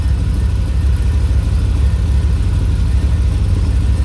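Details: 1985 Dodge D150, 408 stroker small-block Mopar, Comp Cams roller, Holley 850 carb, MSD, warmed up to 180 degrees with thermostat open: deep steady V8 burble idling at solid 700 rpm, even with no knocks or misses; healthy warm idle.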